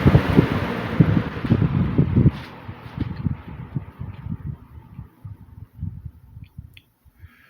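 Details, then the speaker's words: 1950s Worcester Wizard 6JC3020 20-inch box fan, before restoration, switched off from high: air rush and hum fade smoothly over about seven seconds, free coast-down on good sleeve bearings despite heavy blade set, no scraping; normal. "Fan has a good spin down too, by the way, with those sleeve bearings. Fan had a good spin down time the first time that I ran it, so it goes to show you of how good bearings the motor has."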